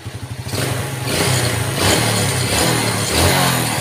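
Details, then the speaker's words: Yamaha Vega ZR, hard starting, hesitating and stalling from weak ignition, spark plug gap closed to 0.25 mm: engine putters unevenly at idle, then revs cleanly; unstable idle remains, attributed to ignition at the plug. "motor ini udah mau digas nih"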